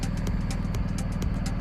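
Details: BMW R1250 GSA motorcycle with hot-restart no-start from a weak battery, charging system reading about 14.3 V: deep steady low rumble at idle, even beat, no knocks or misses; engine idles normally.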